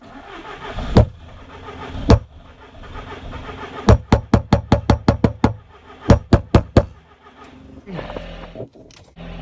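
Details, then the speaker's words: Audi TT Mk1 with no fuel pump priming at ignition: sharp hammer taps on the fuel pump, then the engine briefly catches but runs poorly. The pump is to be replaced. Failing fuel pump. "इसलिए मुझे नहीं लगता कि यह बहुत अच्छी तरह से चल रही है इसलिए हम इसे बंद करने जा रहे हैं और हम ईंधन पंप को बदलने जा रहे हैं"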